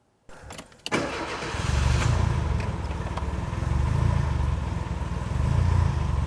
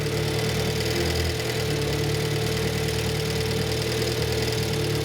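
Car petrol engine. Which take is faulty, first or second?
first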